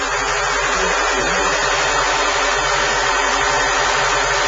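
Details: Light valve tapping at busy idle, roughly three or four taps a second, from the engine's top end; cause suspected, not confirmed.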